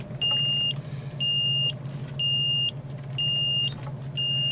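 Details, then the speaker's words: 2003 Forest River Georgetown Class A RV, 35,000 miles, after LCI hydraulic leveling jack failure: sharp beep about once a second over low idle rumble, parking brake shown not set; persistent alarm that won't turn off. "how do you turn off the beating you can't"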